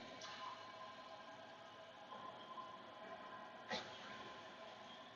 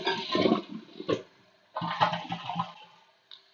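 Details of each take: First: Toilet tank refilling on its own: a steady rush of water runs for about five seconds and then stops. A bad flapper slowly leaks tank water into the bowl, so the tank refills every few minutes. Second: Toilet that kept running, after the bad flapper was replaced with a 1.28-gallon-per-flush flapper: quick rushing flush that stops short of emptying the tank, then quiets as the flapper reseals; flush valve working properly.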